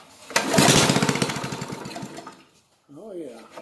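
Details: Old Honda water-pump engine sat for years, frozen governor shaft freed, primed with a little gas in place of starting fluid: catches for a couple of seconds on a quick sputtering beat, then fades and stops, firing on prime but not staying running.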